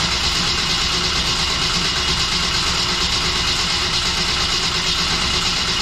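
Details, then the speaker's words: Steady, even starter cranking with no firing on a newly built stock-block LS at first start; not enough fuel pressure built, and the battery's safety cut power; checked for leaks. "we're just trying to build fuel pressure I didn't build enough to start off that first time and then it uh shut the battery off because the battery has a little safety"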